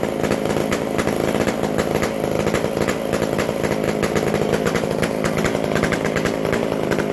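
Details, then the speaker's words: McCulloch Super Pro 125C chainsaw; loud steady high-revving rasp, no stumbles, runs well, extra noisy because the muffler-to-exhaust gasket is still missing. "That's a really good running saw now, absolutely. And it's loud because I got to get a gasket, which is on the way."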